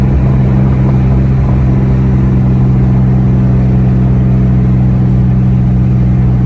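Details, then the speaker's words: 2003–2004 SVT Cobra with T56 and aftermarket 26-spline input shaft: even, steady drivetrain drone under light load, no grinding or clunks. It drives and shifts normally; owner says the upgrade's input shaft/countershaft noise doesn't affect driving. "now driving around it's completely unaffected the car shifts just fine"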